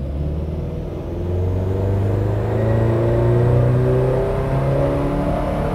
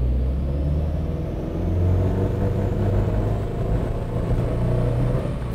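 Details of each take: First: Subaru WRX STi on aftermarket Haltech ECU with ignition dwell time set to 2.5 milliseconds, full-throttle dyno ramp run: engine note climbs smoothly with no stutter; clean run, 180 kW at the wheels, no misfire. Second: Subaru WRX STi on a dyno with a Haltech ECU at about 1.5 bar boost, coil dwell set too low. Under full load the drone turns rough as it misfires once cylinder pressure builds; power drops and AFR reads lean.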